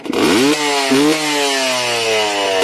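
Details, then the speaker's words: Two-stroke engine previously oil-logged/flooded, held at full throttle to clear it: it snaps up to a clean, steady high-pitched scream with no bogging or sputter and blue see-through smoke rather than white. This shows it is cleared out. "Now if it sounds like that, that's how you know she's cleared out."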